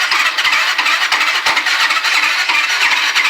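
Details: Yamaha Riva scooter being rebuilt, with the battery connected and starter engaged, giving a high wavering squeal with uneven chatter about three pulses a second. The engine has spark but pops through intake or exhaust; the cause isn't clear.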